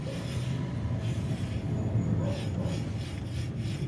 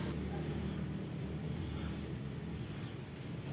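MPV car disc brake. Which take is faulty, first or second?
first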